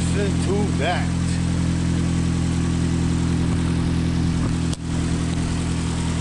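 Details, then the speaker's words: Engine after every rod bearing was replaced to fix heavy rod knock on connecting rod number 1, new oil filter, first startup: steady, even idle with smooth low hum and no knocking from the bottom end; normal idle. "Look now, nothing. No rod knock at all. That's how you fix it, man, straight up."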